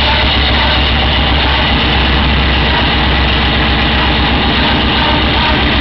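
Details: Raider idling: a steady low beat with a faint whine on top; the dealership blamed the starter clutch, but a burnt-out headlight left the circuit incomplete and upset the generator and charging system; a new headlight cured it, and LED lights may also cause it.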